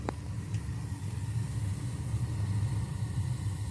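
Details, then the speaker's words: Burnham Series 2 gas boiler burner, installed 2004 (19 years old), three zones: after tapping the damper motor, damper opened and burner fired with a steady, even low roar, no sputter or pulsing; normal firing. "the damper just opened and she fired I don't know if you can hear it"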